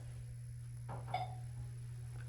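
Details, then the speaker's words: Montgomery Vector hydraulic elevator, installed 1994, stopped at the second floor: over a steady low hum, one short clipped electronic chirp instead of a full chime; the chime keeps chirping until the car goes down, then chimes very loudly. "listen to that it's like literally chirping and chirping and chirping but as soon as I go down it literally Chimes very loudly"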